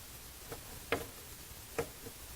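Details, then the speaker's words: 1969 Mustang (Grande/Mach 1) dash clock being repaired on the bench: a few sharp, light, irregular ticks over quiet background as the little clock mechanism now runs cleanly; normal clock ticking. "So that's what I'm working on today. I'm really glad to get that little clock running now."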